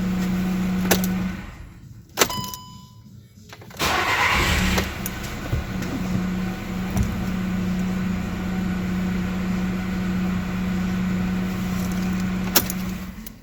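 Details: VW Golf: silence, then starter whirrs and engine catches into an even, steady idle with a low hum; starts and runs normally.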